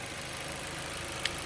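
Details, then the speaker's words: 2016 Chevy Malibu 1.5T idling just after head gasket replacement for oil leaking from head oil passages; steady even idle hum, no ticking, knocking or stumbling, engine healthy. "All right, well, it's running."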